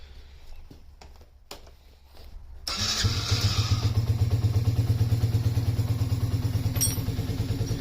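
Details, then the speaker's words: Yamaha Raptor 50 quad after turning the idle screw in about half a turn: engine catches and settles into a steady, even low putter around three beats a second; idle sounds normal, though it later proved inconsistent. "all right I found it so apparently this one is your idle screw and this is your fuel mix screw so all I did was turn that in about a half turn and"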